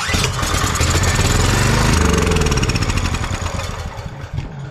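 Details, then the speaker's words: Crank-no-start generator, fuel on, choke on, with starter fluid sprayed into the intake: the engine catches at once and fires steadily at about 220 a minute, so spark is fine and the fault is fuel; the carburetor is suspected (old gas). "fires right up so we know it's a fuel issue so now we'll start troubleshooting the fuel issue"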